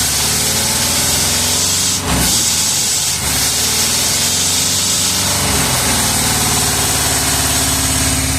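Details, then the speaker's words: 1978 Chevrolet Custom Deluxe truck, first run after sitting about 21 years, no coolant so run only briefly: steady, quiet, even idle after a couple of brief dips; accelerator pump seal bad, leaking fuel at the shaft. Normal idle. "There it is. Oh, she sounds good. Quiet. Can't run it long. I don't have any coolant in it. Oh, she's good. There you have it, man. It sat there and run good."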